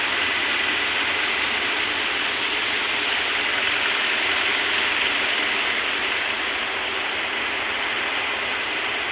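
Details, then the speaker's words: Toyota Hilux 2TR-FE 2.7L dual VVT engine just started after overhaul and timing mark setting: steady even idle with smooth bright hum from the engine bay, no knocking or ticking; mechanic praises the sound, normal idle. "So ayan na mga idol, napandar na natin. Ang ganda ng tunog"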